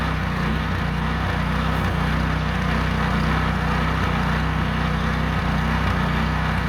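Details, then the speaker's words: Meec SN210 snowblower small engine after fixing sputtering/dying, a leaking tank mounting screw found: steady, even drone with constant beat, no misses or surging, running cleanly under load while throwing snow. "I think that did it. We'll see. That's what I call a burnout. I don't know what I did, but it worked."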